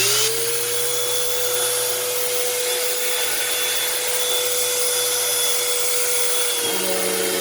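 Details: Eureka SmartVac 4870 upright vacuum rebuilt from two broken units, running on high carpet setting with brush roll disengaged: steady high motor whine and even airflow hiss, no rattle; motor has a slightly long wind-down, belt slipping a little. Normal running.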